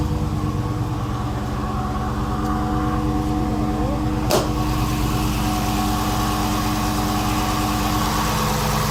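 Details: 2016 Chrysler 300 SRT Core, 6.4 Hemi V8 (built December 2015), 59,000 km, idling: raspy grinding over the usual Hemi tick, louder with the bonnet open; noise just started, owner unsure whether water pump or lifters.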